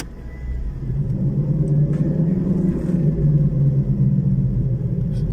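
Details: Car jacked up on one side, third gear engaged, clutch released slowly to spin the raised wheel: a deep steady roar builds. The hub bearing hummed above 60 km/h, days later above 40 km/h, and was then replaced.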